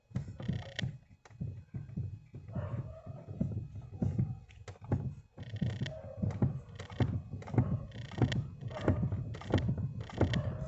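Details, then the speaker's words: 1998 1.6 8-valve car, microphone near the steering column joint: loud irregular hollow clunks, one or two a second, as the wheel is worked; not the steering rack but a bolt left loose on the column joint after earlier maintenance. "o problema galera tá aqui ó o rapaz fez uma manutenção nesse carro e deixou a coluna da direção solta tá galera"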